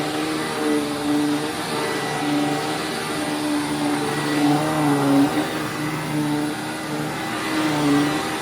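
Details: Hoover Windtunnel Widepath vacuum after brush roller bearing replacement, running on a rug: steady motor whine, brush roll whirring evenly with no grinding or rattle, agitating better and smoother than before; possible slight motor bearing noise doubted.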